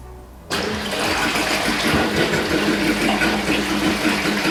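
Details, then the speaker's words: Aiper cordless robot pool vacuum running in shallow water: steady rushing water starts abruptly and holds even, with no knocks or straining, as it jets water to either side to move; normal operation. "So pretty much what's happening right now is the fact that it's flowing water to one side and it's flowing the other side. So that we can move from one side to the other."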